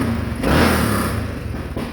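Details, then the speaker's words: 2013 Honda Rincon 680 ATV, restarted after a new cam and top-end work: a short rev blip rising and falling cleanly with no knock, rattle or stumble; the free-flowing exhaust pops occasionally, less and less over time. "But it's running good. Rincon 680 top end done. Good to go."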